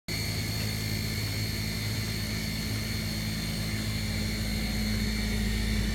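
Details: Maytag dishwasher, wash cycle only: steady low hum with rough buzzing rattle and high whine, sudden grinding and vibration; cause unknown.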